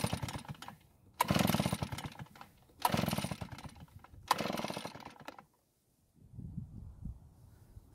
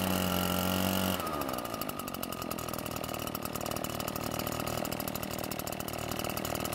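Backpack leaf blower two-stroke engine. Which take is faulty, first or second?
first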